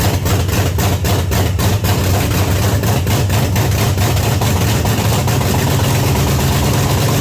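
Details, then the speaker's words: 1979 Pontiac Trans Am, overhauled 400 V8 first start, very loud lumpy open-header idle with uneven low thumps; running too rich with black smoke, carburetor floats suspected set too high. "Yeah. Yeah, it's a little too rich. Fucking loud."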